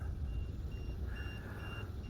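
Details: RC boat on two 2S lipo packs (SMC 135C) with a precision lipo voltage alarm fitted: short high-pitched beeps repeat about every half second over wind and water rumble; the low-voltage alarm is sounding.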